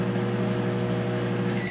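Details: Brastemp microwave making a loud, heavy electrical hum with pulsing buzz and not heating; repaired by replacing the magnetron and diode.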